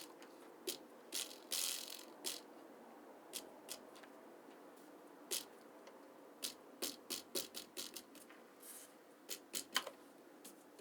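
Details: Shimano Di2 shift lever shaken by hand: sharp, hollow clicks and rattles; caused by a loose free-stroke adjustment nut, fixed by adjusting it.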